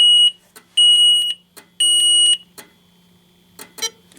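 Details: Alertek i8005 fire alarm panel in silent test mode, drill button pressed: the panel's internal buzzer sounds code three, three shrill half-second beeps then a pause, the temporal-three evacuation pattern, with light clicks behind.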